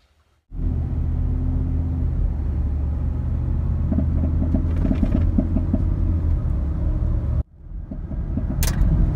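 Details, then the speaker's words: 2018-or-newer Ford 5.0-litre V8 in gear, brake-stood in the stall to about 1800 rpm under load: deep rumble broken by short, irregular backfiring pops (the "popcorn" noise on acceleration), caused by a leaking direct injector seal. "we pretty quickly figured out you could also make it do it in the stall by putting the vehicle in gear and basically break standing it bringing the engine up to about 1800 rpm under load they would start making this backfiring popping noise"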